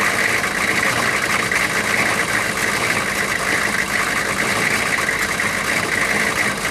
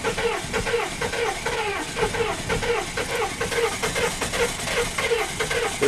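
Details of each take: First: 6.5 turbo diesel first started after sitting about four to six years, low on coolant: steady even diesel clatter at idle with no misses or stumbles; settled into a smooth idle, though a coolant leak was found. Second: 1994 6.5 turbo diesel first start after sitting four to six years: slow, uneven chuffing about twice a second as it struggles to catch, sounding low on compression; it later fired and smoothed out, a hard start.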